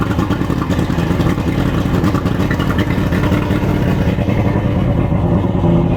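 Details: Boat outboard started during pre-season checks, after the fuel/water separator filter change and a swap from NGK to Champion plugs gapped at 0.030 in: a strong, even engine note with a low rumble and no misses or rattles. It runs cleanly.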